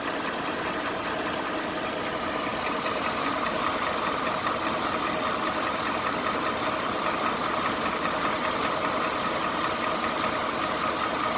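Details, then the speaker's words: 2018 Ford F-150 5.0 V8 idling: light metallic click-clack ticking, two or three a second, felt in cabin, stronger passenger side; dealer and second opinion blame the top-mounted high-pressure fuel pump. "this is my truck 2018 got that 5.0 engine you can hear the noise inside second salty like a click click click clack clack clack clack"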